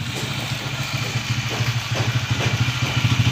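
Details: Honda TMX155 single-cylinder motorcycle engine, overhaul context: idle with an uneven, rattly tick over the low beat; engine noise, source not yet identified.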